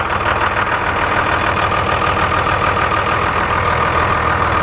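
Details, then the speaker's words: Uneven, lumpy diesel idle on a 2002 Dodge Cummins 24-valve, just started after a FASS fuel pump and drawstraw install with the injector lines left loose to bleed air: rough idle that smooths out as the lines are tightened. "You'll notice the tighter that you tighten your lines down the motor will smooth right out."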